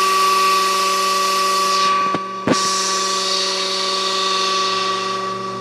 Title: Pool pump with bad bearings